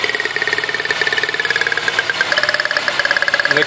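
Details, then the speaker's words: 1999 Toyota Sienna V6 with codes P0301 and P0304, idling: rough uneven lope once a plug wire is pulled from a working cylinder, unlike the misfiring cylinder. "we're gonna remove the other one that you can see a big difference and you actually gonna hear it"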